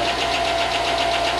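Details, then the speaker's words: 5.3 LS Chevy engine from a rusted Tahoe donor, not run in a long time, just started with good oil: light, fast ticking over a smooth idle; owner hopes lifters pump up and the noise goes away. "It's running. Well, it hasn't run in a long time, so hopefully the lifters pump up and that noise goes away."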